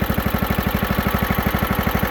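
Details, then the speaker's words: John Deere STX38 riding mower after engine reinstall, new carb and air filter, started without choke: quick even putt-putt about twelve beats a second, no stumbling or misfires; normal idle. "Didn't have to choke it. This thing actually doesn't seem to really need choke. It's kind of cool."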